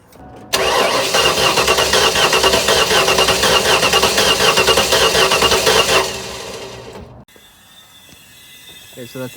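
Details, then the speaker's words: Junkyard 351W V8 with eBay turbos, smoking despite new valve stem seals, cranking on starter: uneven beat with one lighter stroke each cycle; low-compression cylinder, suspected bad cylinder head with loose rockers and exhaust leak. "I'm about to take out the spark plugs on this side and do a compression test but if I just crank it we can hear it has a low cylinder"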